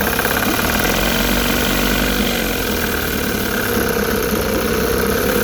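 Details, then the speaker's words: Rebuilt 1960 Evinrude Fisherman 5.5 hp two-stroke outboard in test tank after first start: busy, even buzz at steady speed, no misfires or knocking, pumping lots of water; owner notes a bit lean but sounds good; normal running. "Pumping lots of water. bit lean. Alright, that sounds good."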